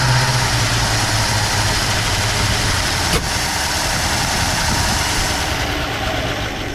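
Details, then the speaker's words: 1959 Plymouth Savoy with a cheap replacement Carter-type carburetor, first start: fires and settles into a lumpy, uneven, wandering idle; vacuum leak suspected; rough idle. "Le yeah seems like there's a vacuum leak um it ran though so that's good"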